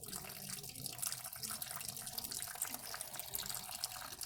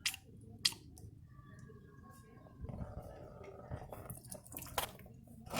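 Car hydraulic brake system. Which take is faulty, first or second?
second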